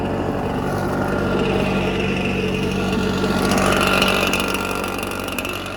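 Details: Red Max EBZ7100 two-stroke backpack blower at high throttle after warm-up, rescued from the dump with its missing fuel lines replaced and carburetor repaired. Loud, steady roar with an even buzzing note, no misfire or stumble; running properly.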